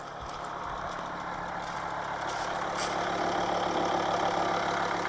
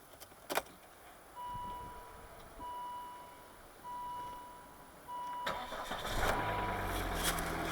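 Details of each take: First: 2006 Volvo V50 D5 2.4 L five-cylinder 180 hp diesel, Aisin AW55 auto, cold start at 5 degrees; light fast steady tick, three or four a second, over the idle clatter; owner suspects lifters, also possible stuck injector or exhaust leak. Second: 2006 Volvo V50 D5, 180hp 2.4 L five-cylinder diesel, 5-speed Aisin AW55 automatic, cold start at 5 degrees: four dashboard chimes, quick crank, catches promptly and settles to steady idle; possible slight ticking and exhaust leak suspected.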